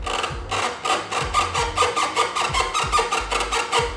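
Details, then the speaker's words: Car with aftermarket steering wheel, hub bolt just tightened: dry rhythmic creak-squeak about twice a second following each rock of the wheel; squeak at steering wheel hub, cause unknown. "not supposed to happen I don't know I have no idea what's causing it but by it being that easily squeaked we'll be able to figure it out"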